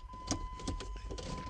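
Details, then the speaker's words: 2003 vehicle that wouldn't shift out of park: a few crisp clicks, each as the brake is pressed, the shift interlock solenoid engaging normally. "l hit it every time I touch on a break I can hear the solenoid actually"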